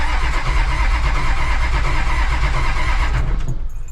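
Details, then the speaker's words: HJ47 diesel, set of glow plugs recently failed, only one or two of six working; steady churning crank about three beats a second, one cylinder catching weakly but never running; no-start from failed glow plugs. "I think I've still got uh one to two glow plugs working out of six so you can hear that one one trying to fire"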